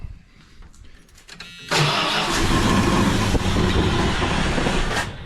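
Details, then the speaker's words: 1978 Dodge Diplomat sat 18 years since 2007, old fuel drained, ignition converted from Lean Burn, 12V coil, timing set slightly advanced; with gas poured in it cranks, catches with a roar, holds a few seconds and dies; fuel-related. "Let's try put a little gas in. See if I can keep it running a little longer that way."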